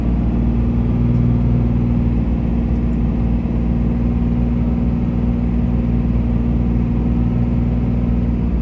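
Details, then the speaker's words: 2004 Dodge Ram 2500 4x4 quad cab, 5.9 Cummins diesel, 36k miles, fully serviced, automatic; steady deep drone pulling uphill through the gears, no knock, slip or shift thump; healthy engine and transmission. "we'll head up the hills so we can hear the 59 cing run well as the automatic transmission go through the gears so you can hear for yourself how it doesn't slip shift hard or have any problems at all"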